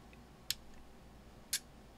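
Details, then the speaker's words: Elecraft K2 transceiver kit, first power-up test with RF board unpopulated: tapping band switch gives two crisp relay clicks about a second apart over quiet hiss as it steps bands; relays switching normally. "tap the band switch and after a short delay the k2 will switch to the next band at the same time you will hear a relay"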